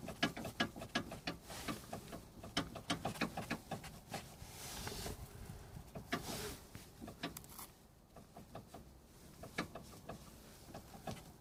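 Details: Kia Rio 2 JB FL front suspension; uneven bursts of hollow clunks and clicks, roughly three a second, from worn sway bar bushings and sway bar end links.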